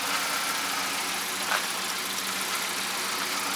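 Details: Mercedes being sorted for idle problems, idling steadily and evenly with no stumbling or dips after the parts were cleaned again and coolant was topped up; whether it will stall while driving remains to be seen.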